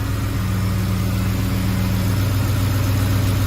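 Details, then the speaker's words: 2005 Ford F-150 5.4L 3-valve Triton after replacing the failed roller followers: smooth, even low idle, steady hum, no ticking from either bank, quiet on both sides like a new engine; normal idle. "Oh! Sounds good so far. Sounds like a brand new 543 valve."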